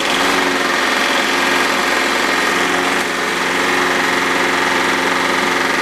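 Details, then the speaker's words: Briggs & Stratton mower engine with suspected bad rings, some smoke and oil: fast buzzy running with steady rapid rattle-knock; owner suspects loose blade or something hitting under the deck; cause unconfirmed. "well we know two things now one um it will run but it sounds like there's like a knock it could be something on the bottom of the deck"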